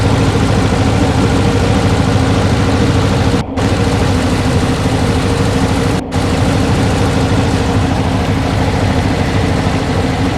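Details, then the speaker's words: 1968 Porsche 912 during revival service: low, loud idle lopes unevenly and hunts, not settling; rough idle, timing to be checked next. "As you can hear, she's still a little rocky. Jumping around a little more than I like."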